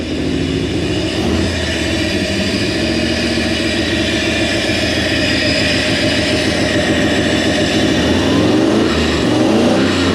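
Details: Toyota 1UZ-FE V8 swapped into a blue Land Cruiser, timing roughly set: fast idle with an uneven, lumpy beat instead of a smooth burble; some cylinders missing from wrong firing order.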